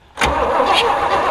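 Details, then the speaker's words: Buick 455 V8 rat-rod mud truck, first start attempt in about 10 years: steady starter churn with slow even compression beats and no catch, tried with the switch in both positions; spark plug check shows no spark, so an electrical fault is suspected. "nothing hit the switch yeah yeah we got nothing so the electrical stuff's never fun"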